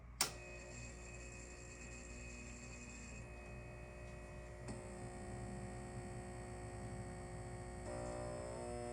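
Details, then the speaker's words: Old Halco/ProLume 70W high pressure sodium bulb with blackened arc tube cycling at end of life: steady mains hum and faint buzz, ballast loud at start then quieting as the arc extinguishes. "So as you just saw, you may notice near the end of when it's about to go out, you noticed on the camera that the wavelengths were starting to slow down. And the ballast, as you heard, was starting to get quiet."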